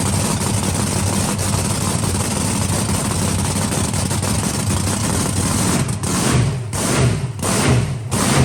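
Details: Deep, lumpy idle holds steady with no stumbles or misses on the Swamp Thing monster truck's blown methanol V8; hard starting is suspected to be a weakening starter motor.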